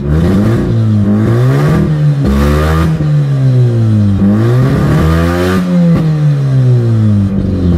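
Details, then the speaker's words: Mazda RX-8 with exhaust disconnected because the cat was glowing red; revs climb and drop unevenly with rough crackly sputters off the bottom, timing light shows it intermittently not firing; misfire when revving. "sputters so you can hear firing right now come on see this see that it runs good and then when it's running like crap it's not firing see that"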